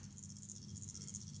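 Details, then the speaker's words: Air-conditioner expansion valve on a test PCB, closing and opening: fast even stream of sharp loud ticks over a low hum; this valve is noisier, and pulses sound harder when a valve is stuck, so sticking is suspected, not confirmed. "Quindi dobbiamo sentire a livello, diciamo, orecchiabile se la valvola è bloccata, anche perché lo scatto, cioè gli impulsi, si sentono più battenti, più forti quando la valvola è bloccata. Vi faccio sentire questa qua che eh fa più rumore."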